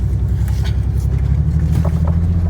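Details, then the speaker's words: 1999 Ford Ranger XLT 4.0 4x4, no codes: deep lumpy idle rising and falling unevenly, with one or two cylinders not firing and no power. Owner suspects a bad ignition coil. "right now i got at least one or two cylinders not firing i got no power"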